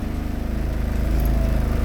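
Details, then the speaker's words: Mitsubishi Galant Shark automatic, which has a high idle that rises with aircon load (about 1,000 rpm in park): steady, even idle in drive with no misses. The slight shudder in drive was reduced. "Yun yun yung idle niya pagka nakadrive."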